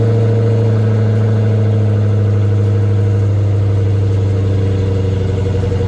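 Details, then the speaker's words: Dodge Hellcat (1000 hp) after alternator replacement, first start: deep, even V8 rumble that settles into a steady idle with no misses or knocks, running healthy again. "All right, we back in business, baby."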